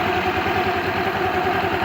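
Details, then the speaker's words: ER 150N scooter (about 3 months old, 5,000 km) with a new CVT setup and MXI belt, after a no-start fix: steady, even low putter at idle with a quiet belt drive and no knocks or squeals. "Ayan paandarin boss. O 'di ba? Ganda ng tunog."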